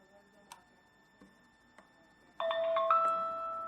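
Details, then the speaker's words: Wyze Cam powered up after a water damage repair: a few faint clicks, then a clear two-note startup chime that fades, showing the camera now powers up and works normally. "Gonna plug this bad boy in. Gonna hear it ding. Takes a couple of seconds to acknowledge."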